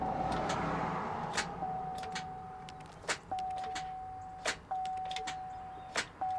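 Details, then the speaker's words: Duramax diesel truck with a no-crank, no-start: key on, dash lights up, volt gauge reads low, under 14. Single sharp clicks about every 1.5 s over a steady dash chime, starter barely tries. Battery or connection issue suspected. "definitely hear it clicking almost a little click and then I one time I felt like I heard a starter try a little bit we could just have a uh a battery issue"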